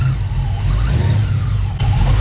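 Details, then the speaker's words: Supercharged engine with an SRT Max Plus cam and a newly installed 2.9 Whipple supercharger runs with a deep, steady, even drone. The earlier noise is gone, with no chirp, squeal or rattle. The owner believes the tensioner caused it. Normal running. "so as you guys can see now we don't hear any more noises and i believe it was the tensioner"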